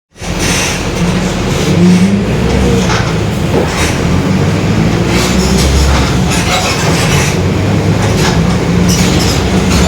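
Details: 2021 Marcopolo Torino S bus on Mercedes-Benz OF-1721 BlueTec 5 diesel chassis, rolling in urban service: steady low drone holding with road speed under the diesel; growling differential.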